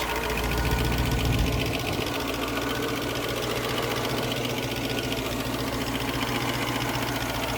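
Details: 1972 Range Rover V8 at idle: steady idle with a quick, light ticking at roughly valve speed, from noisy hydraulic tappets in the rocker gear, which are being adjusted.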